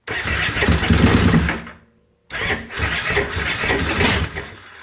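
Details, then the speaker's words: 2005 carbureted Kawasaki Brute Force ATV cranking in bursts with pops and backfiring but never starting despite fresh gas; the cause is a stator meant for a 2012 fuel-injected model. "got some backfiring going on. That's all it does."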